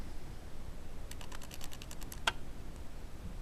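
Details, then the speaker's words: Samsung SFD-321B PC floppy drive modified for Amiga use, powered on in the Amiga: a quick train of about a dozen light clicks, roughly ten per second, as the head steps back and forth normally during boot; normal head stepping. "uh now there we go I just hear the floppy Drive clicking oops there we go"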